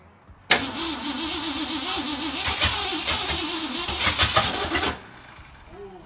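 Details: 1964 Mercury Comet Cyclone, 289 V8, plugs in correct firing order, set at TDC, fuel hooked up, no mufflers: fast uneven starter whir with occasional coughs that never catch, then stops; cranks without starting while the distributor is being adjusted.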